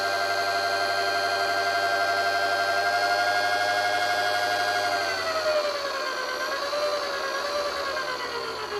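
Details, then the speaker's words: 250 W PWM speed controller (9 to 50 V) driving a brushed DC motor: steady high electrical whine that climbs and wavers smoothly with the throttle, normal PWM switching-frequency noise. "ลองฟังเสียงบางตัวก็จะมีเสียงมาตัวไม่มีเสียงนะครับขึ้นอยู่กับการออกแบบคือผลิตความถี่นะครับเสียงทีวีนั่นก็คือความถี่นะครับ"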